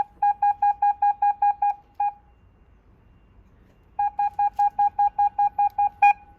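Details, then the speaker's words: 2006 Mercedes B-Class W245 with retrofitted rear parking sensors, freezing weather: loud mid-pitched warning beeps about three per second in bursts, going continuous when approaching the car; volume adjustable by button; parking sensor warning working normally. "as I approach the car the alarm is beeping so you can hear that and that would be at a point where it beeps continuously"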